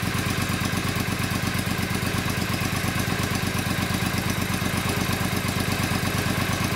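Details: 2002 Triumph Bonneville America twin, started cold on choke after clutch gasket replacement and TTP safe-start install, oil filled: steady even thrum about three pulses per second, no knocks or clatter, clean fast idle; normal running.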